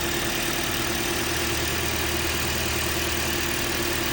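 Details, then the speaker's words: 2010 Toyota Corolla engine at idle, oil and belt recently changed, no oil consumption; constant mid-pitched hum with loose irregular ticking; owner suspects timing chain or something internal; abnormal idle noise, source unclear. "voy a encender el motor para que escuchen Cómo suena ese ruidito que suena ahí no sé si será la cadena la cadena o o algo más internamente"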